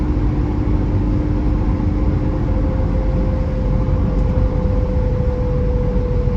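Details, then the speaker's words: 1982 BMW E21 320 straight six, low mileage, with a 3-speed automatic, accelerating on a road drive, heard from the cabin: a smooth, deep, even drone stepping up through the gears; a healthy engine. "A bit more beans. You can actually hear that sort of the beautifully sonorous straight six making a nice sound in front of you."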